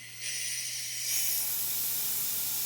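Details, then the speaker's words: Porsche 944 Turbo exhaust manifold, removed and pressurised with shop air through CNC test flanges: loud steady high-pitched hiss jumps up as pressure comes on, escaping from a big crack between flange and pipe; exhaust manifold crack leak. "you hear that that's not my plan just bring sealed check this out that's a big crack between the plans and the pipe"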